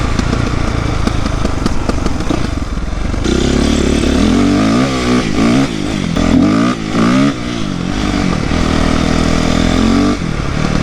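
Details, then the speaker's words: 2008 Yamaha YZ450F, not fully warmed up, after new exhaust clamp and chain tightening: chain noise gone, clutch no longer slipping, but still popping on rev and deceleration; valve clearances were later found way off and corrected along with carburetor work. "Well, the chain noise is definitely gone. Still a little popping, but it's not all the way warmed up yet, so. Pop, pop, pop."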